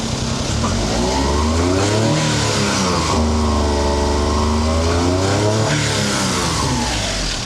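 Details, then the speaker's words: 1999 Honda Acty truck, E07Z 660cc engine, 209,000 km, jump-started after dead battery, engine cover open: revs rise and fall unevenly, hesitant and rough under throttle; clogged air filter suspected, not running right. "It feels like it has an air filter that's clogged. Listen to it when I rev it."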